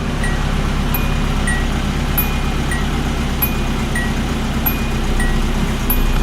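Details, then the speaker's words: Original one-owner 1980 Datsun 200SX, 5-speed manual, 113,272 miles, after sitting about five years: steady, even low idle with no misses or knocks, light chirping in the background; running really good. "It's running pretty good here. Sounds like it's running really good."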